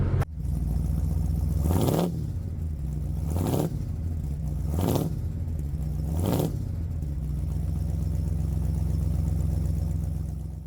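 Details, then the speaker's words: 2004–2008 Ford F150 after replacing corroded fuel pump driver module (above spare tire) for P1233 stall/no-start; steady, even low idle holding without stumbling, a few brief whooshes, fuel pressure not dropping; running fine. "O motor está em marcha lenta. A pressão de combustível não está caindo."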